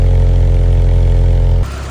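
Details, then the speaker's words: 1987 AE86 Sprinter Trueno at cold start: deep, steady low rumble with an even beat and no misses or knocks, and no smoke from the exhaust; cold engine idling smoothly and healthily. "No smoke coming out the exhaust. Sounds good."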